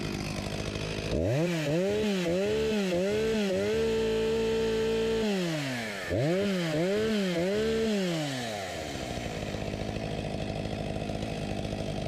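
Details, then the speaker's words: Husqvarna 254 G chainsaw, 35 years old (1989), after carb refurbishment and fuel line replacement: two clean revs to a steady scream (13,000+ rpm no load), each returning to smooth idle set at 3000 rpm; healthy. "I’ll set it to 3000rpm Sounds like a good speed right about here 13.000+ RPM with no load"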